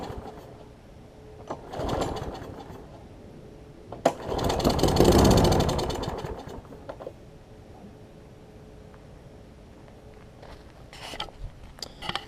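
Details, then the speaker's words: Troy-Bilt big-wheel self-propelled mower, auto choke, carb bowl gasket missing: engine fires in short bursts on starter fluid, catching and dying within seconds, so spark is fine but the carb isn't feeding fuel; owner suspects choke arm. "So, we know it'll fire up, which is good."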